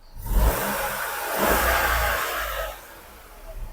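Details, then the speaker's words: 2012 Vauxhall/Opel Corsa 3-cylinder after timing chain replacement (timing had been far out, tappets dry): engine revs smoothly and returns to idle with no rattle once oil pressurized the tappets; running normally. "better. That's much better now. Much better. Yeah. Oil's gone around the system, pressurized all the tappets."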